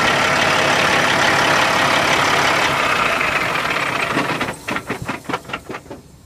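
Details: 2005 Sterling LT9513 dump truck, CAT C15 475 hp diesel, 616,237 km and 17,560 engine hours: ticks over evenly with a steady clatter and no odd knocks or misses before fading out; sounds healthy.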